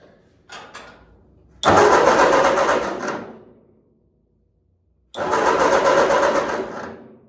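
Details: 1946 Ford 2N tractor, rebuilt with new piston rings, cranking after fitting a new coil to replace the broken one: two steady two-second cranking bursts, engine never catches; owner has cranked it too much and may pull plugs and oil the cylinders.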